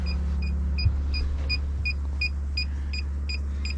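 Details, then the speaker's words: Fiat Ducato Benivan 120 campervan during winterisation, with the tank drained and taps open: the water pump hums steadily, chirping about every third of a second, running continuously. This shows it is running dry with no water. "If we go up here and just switch the water on, the pump will actually go consistently."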